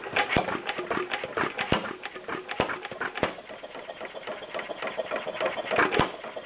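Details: Stover CT-2 hit-and-miss engine, slightly warm from running a couple of hours earlier. Sharp, irregular firing cracks with coasting gaps between them: the usual hit-and-miss rhythm of an engine holding speed well. Normal running.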